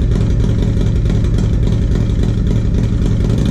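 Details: 1994 Harley-Davidson Road King FLHR, original 80" EVO, Carl's Speed Shop heads, CV40 carb, Screamin Eagle air cleaner and 2:1 exhaust: uneven, lumpy V-twin beat that stumbles and misses on light throttle, from a carburetor fault, before the rebuild.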